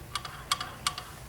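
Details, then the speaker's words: Schwinn AC Performance Plus or Carbon Blue indoor bike, flywheel spun backwards: sharp light clicks about three per second with fainter ticks between, needing flywheel bearings and/or flywheel replaced. "it's much more pronounced if you hear this type of clicking noise you will need to replace the flywheel bearings and or the flywheel"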